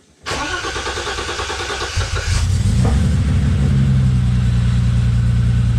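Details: BMW E30 325is revived after years in the woods, fuel pump jumped from another fuse: brief crank, catches within about two seconds and settles to strong steady idle; no power at fuel pump wire, owner suspects main relay wiring.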